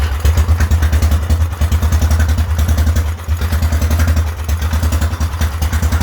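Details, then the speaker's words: Whizzer small single-cylinder motorbike on a test ride after a new overdrive gear and pulley, shifting up from first: crisp, even thumping that rises and settles through the shifts, third gear working best; normal running under load. "third gear has been working the best but still works nonetheless downshift turnaround is per usual it's getting pretty good with shifting"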